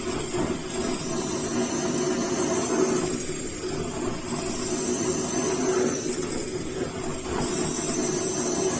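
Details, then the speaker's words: Liquefied-gas burner tilted during use: rough, uneven roar surging and sputtering every few seconds as liquid-phase gas reaches the burner and pours out, causing dangerous flame flare-ups. "the liquid phase is liquefied gas and it gets in and it pours out because of this, outbreaks occur, it is very fire hazardous"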